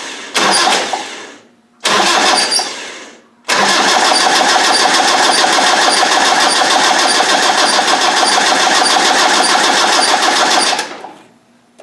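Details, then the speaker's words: Land Rover 300Tdi diesel turned over with tachometer tape on crank and cam: short cranking bursts with a thin high squeak always at the same point just off top dead centre each turn; squeak while cranking, source unknown. "cuz it always squeaks around this place it always squeaks there that's the squeaky spot"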